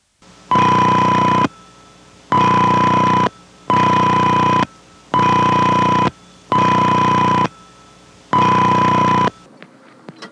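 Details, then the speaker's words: Cabot, Vermont exchange 1975, magnetic inductive pickup coil by the bell box, ring selections one and six: regular 20 Hz ring with added 1 kHz audio tone, six steady one-second bursts with quiet gaps; normal. "But in '75, I put a magnetic inductive coil down by the bell box and did get the signal. It's 20 Hz with a 1 kHz audio tone added."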